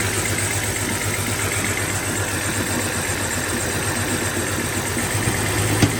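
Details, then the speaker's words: BMW 325i E90 with the N52 engine, first start after numerous parts were replaced for a rough idle: the idle runs uneven, about four beats a second, with irregular stumbles and a shaky rumble. It is misfiring worse than before, cause not confirmed. "Now let's start the car and see if we have any leaks and if everything's working okay and so on. Okay. Oh gosh, the car is idling very bad."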